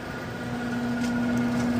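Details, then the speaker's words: HVAC condenser fan after replacing a failed condenser fan motor with a universal rescue motor and matching capacitor: steady hum with a clean tone while the fan comes up to speed, no rubbing or rattle. Normal condenser fan running. "Fan should be spinning. And if it's spinning, we good to go. Oh, yeah. Fan spinning."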